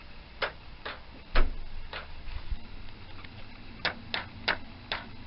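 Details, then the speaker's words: Yamaha FZ400 project bike after new 8-way fuse box install and old ignition relay refitted; sharp isolated starter clicks at irregular intervals without cranking, owner suspects low voltage and plans jump leads. "seems to be down to the starter motor and then stopping so it could just be about to voltage issue so we need to get some extra volts pumping through this bad boy via some jump leads"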